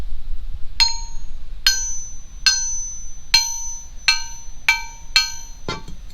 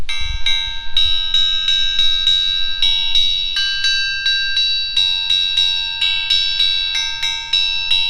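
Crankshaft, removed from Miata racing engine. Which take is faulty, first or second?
first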